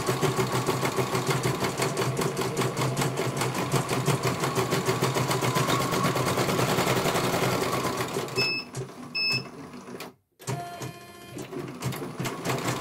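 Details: CNY computer embroidery machine in for service from Banjarnegara, Central Java, that arrived with its motor (dinamo) not turning and the bobbin case missing; quick, even needle clatter about three stitches a second, then stops and beeps as one colour finishes. Normal embroidery stitching.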